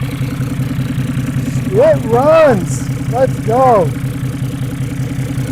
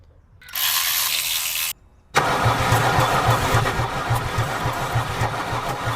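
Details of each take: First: Mercedes 300D 603 turbo diesel, revived after three years sitting with water in fuel, now on fresh diesel: steady even idle clatter with no stumbles, voices over it; running healthy. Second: Mercedes 300D diesel that sat in a field about three years, water in fuel system: short starting-spray hiss, then steady cranking that never fires; suspected water-contaminated diesel preventing firing, not flooding.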